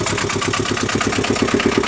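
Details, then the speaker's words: Aixam 400 microcar engine idling, hatch open: even rapid pulsing with a faint whirring from the variator, which is turning at idle though it is not supposed to; noise louder inside the cabin than outside. "le variateur tourne il est pas censé tourner d'ailleurs mais bon pourquoi pas"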